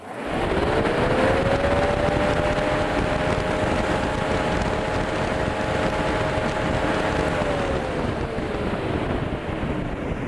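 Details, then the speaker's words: Newly installed upgrade radiator fan on a 1962 Jeep Willys, first test without the radiator fitted (radiator would muffle it): strong steady whirring climbs as the fan spins up, holds even at full speed, sags away when switched off; healthy, very powerful fan. "Cruzes, o troço é muito forte. Me surpreendi. Nossa senhora, é muito forte. Claro, sem radiador, né? Com radiador ele abafa mais."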